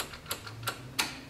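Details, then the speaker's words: Toro TimeCutter mower, key cycled: three sharp dry clicks from the carburetor fuel solenoid, the only power present; everything else dead. Cause found in the electronic parking brake module connector, where one terminal had rotted off. "Because we were cycling the key, and you can hear the solenoid on the carburetor. You can hear it. Hear it clicking? That was the only power we were"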